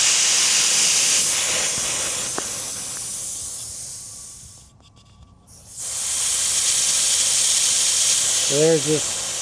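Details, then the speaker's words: Smittybilt 5.65 CFM air compressor, four years old, in cold weather with the hose attached: steady high hiss of escaping air that drops away briefly, then returns; leak at the connection, not the valve. "And if I put my hand around here, see that? Not the valve. So there's my problem."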